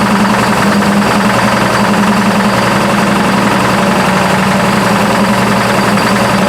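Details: Burnt Buick P12 with a newly developed engine knock, a fast, steady ticking knock over a loud idle; owner unsure whether lifter or rod knock, oil pressure 42 lbs.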